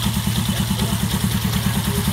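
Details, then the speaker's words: Yamaha Jupiter Z1 single-cylinder at idle after the oil passage and gasket were fixed so oil reaches the cylinder head; a light quick ticking rides over the low thump, because the damaged piston was not replaced. "bilang Sam suara ada gelitik-klitiknya ya karena pistonnya ya rusak kita nggak ganti piston tadi jadinya seperti ini pak"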